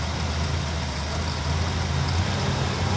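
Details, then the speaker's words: 1964 Chevrolet Bel Air with a replacement 350 small-block V8, sitting for years: deep, steady, even burble at a fast idle set around 800–1000 rpm, which it needs to avoid stalling; runs smoothly without misses or knocks. "I've got the uh idle somewhat set where it actually will stay running here"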